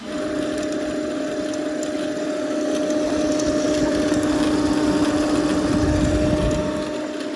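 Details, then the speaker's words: Large network switch: loud steady cooling-fan drone with a rough rattly edge and constant whine, caused by built-up gunk in the fans; WD-40 cleared it and stopped the racket. "But yeah, a bit of WD-40 actually solved it. There was that much, like, gunk built up in it."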